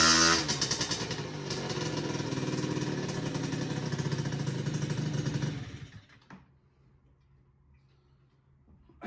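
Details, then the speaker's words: Honda Express SR two-stroke moped during carb tuning, restarted with fuel turned off to avoid flooding from leaking float: steady clean idle with slight rev, then cuts off; runs nicely. "All right, so as you can hear, it starts and runs nicely. When I don't allow it to flood, you might be able to see the big pile of gas on the ground underneath me."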